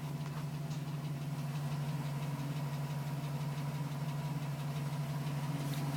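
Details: 2010 GMC Sierra with 2000 miles, cold idle. Light, regular tap about three per second that persists while cold; owner suspects piston slap, unconfirmed. The tapping stopped at 5 minutes 42 seconds once the engine warmed.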